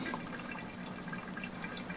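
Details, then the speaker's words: Soft trickling and gurgling as water drains steadily through an HVAC air handler's condensate drain line after clearing it with drain line opener; blank Honeywell thermostat, no heat or AC, traced to this drain. "It flows out here and it goes down. I can hear it gurgling. That's good. I don't know if you can hear that draining, but this is opened up now and it's draining."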